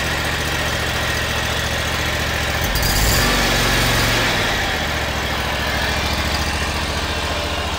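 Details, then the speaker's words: eXmark lawnmower engine chugging steadily with a dry, raspy whir from a worn belt pulley bearing, found with the drive belt removed; owner first suspected the PTO clutch bearing, but it was fine. "this bearing sounds okay i can't even hear it this one it's shot"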